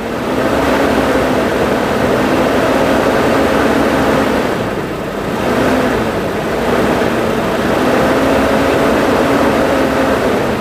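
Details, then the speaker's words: 2000 Toyota Kijang Krista 1.8 EFI, warm after oil change, throttle cable pulled in engine bay: quick blips pick up cleanly and settle smoothly, no misfire or knock; normal free revving. "gimana kalau kita dengarkan sedikit akselerasinya ini caranya dari sini aja tinggal di tarik sedikit aja ya"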